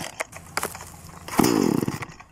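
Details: Two-stroke chainsaw pull-start with choke on and fuel mixed: sharp rope pulls bring a short rasping catch and a few pops that die away, showing fuel and fire in the cylinder; engine trying to fire on pull-start.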